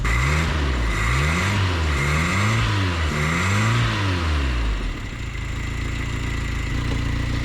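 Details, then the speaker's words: 1979 Chevy LUV project truck with carburettor, recently revived, idling: rapid ticking that speeds up with the revs and settles back at idle, puffing from a leaking exhaust manifold, not the engine. "If it sounds like it's ticking, it's got an exhaust leak, guys. That ain't the engine, that's the exhaust."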